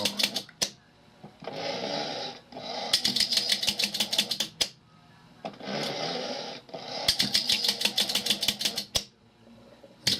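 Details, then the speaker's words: Philco 39-116 radio after relay repair: crisp quick ticking bursts as the remote-controlled relay steps the selector switch through positions, no grinding; selector working normally. "and now you can hear the relay no grinding and the switch is acting normally moving to different positions"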